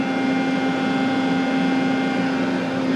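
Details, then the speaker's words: Tool changer servo motor pulled from a 1996 Fidal 4020 vertical machining center, spinning on the bench: a clean, steady hum with no rubbing, so the motor is healthy. The tool changer fault was traced to the 1100-2 board. "but I know that the motor works. And this is the motor that I pulled out, and you can see I've actually got it up there spinning."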